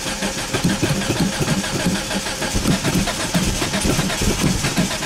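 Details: Mitsubishi Eclipse GSX hard start: uneven chugging crank lasting seconds with rough bursts, engine struggling to catch; cause not identified (a rust spot in a strut tower was also noted).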